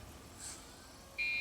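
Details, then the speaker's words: Dell OptiPlex GX520 desktop at power-on: near-silence, then a loud steady high-pitched beep holding on; POST memory error because the RAM stick was not pushed fully back in. "i don't know what this noise is it's not happy about something well let's shut it off it's complaining oh i remember what it was now i never pushed the ram back in all the way"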